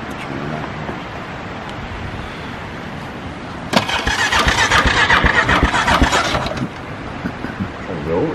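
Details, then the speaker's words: 1999 Yamaha Grizzly 600 4x4 ATV, run on non-ethanol high-test fuel, new spark plug fitted recently. Starter cranks evenly about three seconds but it never fires. Crank, no start; owner's side suspects the coil. "that's what it does it won't start huh"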